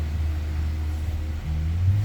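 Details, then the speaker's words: Nissan Almera (Sunny N17), just started, no throttle: shaky, low idle drone that nearly drops, then rises and falls repeatedly; smelly exhaust, carboned black spark plugs, later stalls; idle speed hunting. "Ayan nagloloko na yung tunog ng makina shaky ung makikita niyo shaky yung makina niya hindi normal anan Ayan ang problema ng Nissan almero na to tapos ayan oh halos magdrop na yung RPM niya yan tumaas tapos bagsak yan taas bagsak"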